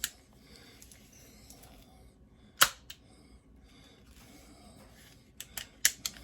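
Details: Crosman 600 CO2 pellet pistol after piercing CO2 cartridge: light mechanical clicks as slide is cocked, then sharp short pops on firing; pistol cocks and fires normally.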